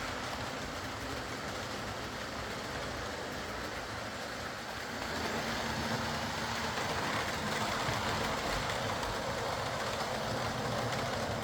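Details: Old Lima Class 40 model locomotive in BR green on a replacement motorised chassis after the original front bogie failed; quiet, even motor hum with regular track clicks about four per second as it gathers speed, no pickup issues, low current draw, no stalls.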